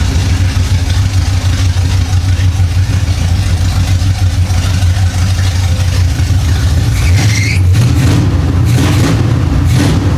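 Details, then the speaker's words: 1975 Chevy Monza with a swapped-in 350 small-block V8, sitting 20 years, running after a distributor fix: deep, steady V8 idle with even firing and a brief blip, no knocking or missing. "Well, it looks like that did it. The distributor was the problem. Woo-wee! He sounds mean. Wow! Oh man! That sounds awesome back there."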